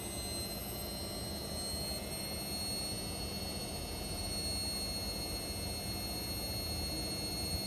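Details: Indesit Innex XWSC61252 washing machine, previously not draining, test run after filter cleaned: steady, even drum rush at full spin with faint high whine, no knocking or scraping; spinning normally, speed dipped on high-speed motor coil.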